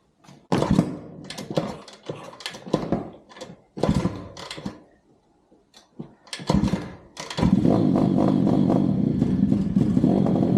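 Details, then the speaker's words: Pit bike running on a dyno before a carb and CDI replacement: the engine fires in ragged bursts with dropouts and exhaust backfire pops, then settles into a rough, uneven run. Badly misfiring, cause not yet found. "unning like shit, and just try to hear the exhaust and the backfiring and see if we can't, I don't know, run the problem through it."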